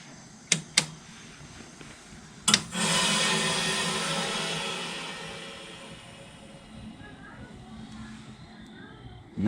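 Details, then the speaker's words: 1993 Comfort-Aire 18,000 BTU (1.5-ton) 220V window heat pump at shutdown in heat mode on a cool night: sharp clicks, then a loud hissing whoosh fading as pressure equalises; normal reversing valve shift at shutdown. "Now when we shut it off, you'll hear the reversing. I'll switch over because the pressure is still in the unit."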